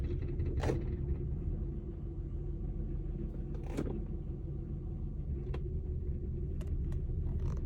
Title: 2003 Honda Accord V6 Rattling sound from engine; mostly heard from inside; smells debut!